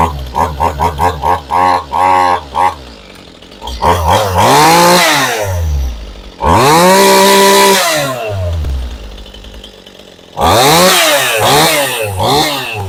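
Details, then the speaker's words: Chainsaw, hard to start, needs trigger held while pulling: catches and revs in short bursts, climbs on the trigger then sags and dies; starts and idles but stalls on throttle, owner suspects dirt in the carburetor. "And it would start and idle, but as soon as you give it the gas, you know, squeeze the trigger on it, it just kill it. Now, I would say most likely there's probably a little bit of dirt inside this carburetor that's causing the issue."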